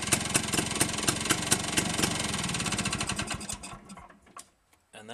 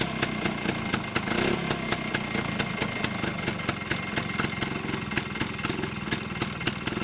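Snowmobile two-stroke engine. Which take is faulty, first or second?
first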